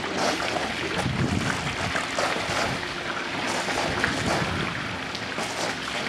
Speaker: Got a lot of air in the system to work out. But it will. Still gurgling there, so yeah, it's working.